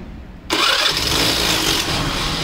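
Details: Hero Honda Pleasure scooter making a noise when the self-starter is used: a harsh grinding rasp as the starter spins the engine and it fires. Cause: bent crankshaft.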